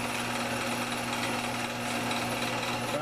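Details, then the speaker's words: Old drill press unused since the 1970s, freshly lubricated, running in smallest gear at maximum speed: steady even motor hum with a light high-speed whir, no knocks or rattles; normal running. "So we're going to give it the smoke test and see what happens. That looks good."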